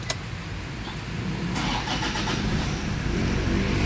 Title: TOYOTA FORTUNER HUMMING SOUND SUBJECT FOR ENGINE DIAGNOSE (1)